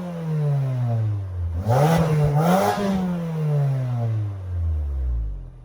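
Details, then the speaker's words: 2022 Mazda CX-30 Carbon Edition with dual exhaust outlets, shown for its exhaust sound. The engine catches, blips up smoothly in two quick revs and settles back to a clean, even idle: a normal, healthy start and rev. "we're going to show you guys the exhaust sound in a second though"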